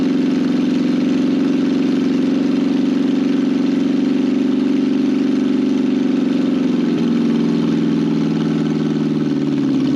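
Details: 1968 BMW 1800 barn find running: a steady, even engine hum with no knocks or misses and a slight lift in pitch near the end, a smooth healthy idle. The fuel tank was later found full of very old, gummy gas.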